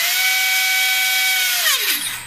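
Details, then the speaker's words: E-Razor 450 electric helicopter Dynam speed controller with the brake turned on: high steady motor whine from full throttle drops sharply to a stop within about a second or two once throttle is pulled back; ESC brake enabled. "okay so that took about a second or two okay that's because the brake is turned on"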